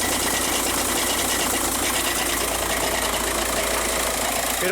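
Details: 2006 VW Jetta TDI DSG at idle: a loud, uneven metallic rattle over the diesel idle from the bell housing, one of the worst heard. Finding: worn dual-mass DSG flywheel rattle.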